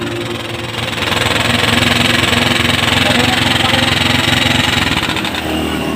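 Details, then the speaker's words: Motorstar Star X125 converted to 150cc, timing gear already replaced, before cam follower swap: rapid sharp metallic ticking about three clicks a second over the idle; suspected worn cam follower or rocker arm, not confirmed. "So yun yung tunog niya mga boss ano. Pero napalitan na natin to ng timing gear. Bale ang gagawin natin ngayon ay yun nga, nagpapalit tayo ng cam follower."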